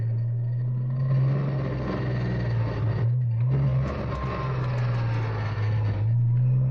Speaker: 1999 horse Boxster funny noise coming from the rear everything is completely fine in a straight line and at low speeds until I Drive into a turn and I give it some gas